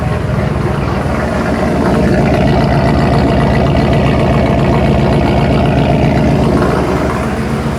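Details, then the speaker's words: Ford Bronco Centurion 4-door with 460 V8, after MSD Atomic EFI install replacing carburettor: idle air control bringing rpm down, mic at exhaust; deep, even burble, steady pulse about four beats a second, no misses; normal settled idle. "Idle air control is coming down. RPM's coming down to where I want it. Now listen to what this sounds like at the exhaust. That sounds good."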